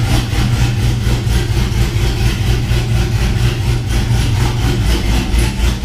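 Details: 6.0 V8 swapped Cateye truck with BTR Truck Norris cam, idling after failed lifter (cylinder one driver's side) replaced with Morel drop-in lifters: deep even lope about two pulses a second, no ticking, quiet valvetrain, normal idle.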